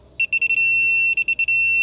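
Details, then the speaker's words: 2012 Volvo XC60 D5 service, housing torqued to 25.5 Nm: quick high beeps ending in one long steady tone as the torque wrench signals set torque reached. "And like I say, we want 25.5 Newton meters on this housing. So, there we go. That's tight enough."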